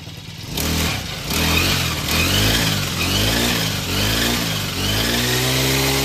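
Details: Green Farm four-stroke brush cutter started via primer bulb and recoil after checking the blade is straight and undamaged; revs up and down smoothly and evenly with no wobble or knock, running normally after the vibration complaint.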